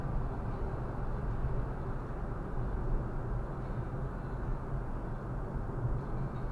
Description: Annoying rasping vibration noise on Viofo A119 V3.